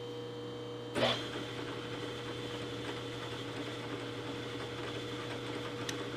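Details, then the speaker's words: Repaired Banggood 3-inch R8 boring head with indexable bar on a phase-converter-powered mill, 0.015-inch cut: steady spindle hum, smooth cutting tone after initial bite, no chatter or squeal; tool rigid and cutting cleanly. "well there you can see the tool is performing"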